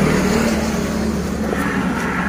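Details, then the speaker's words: Honda Beat FI 2016-2019 scooter CVT after cleaning and fitting a new pulley bearing, spun without load and without clutch shoes: runs smooth, no whine, squeal or grinding; earlier noise was near the rear pulley. "tanpa beban dan tanpa sepatu kopling, kedengarannya halus, teman-teman. Tidak ada suara sama sekali."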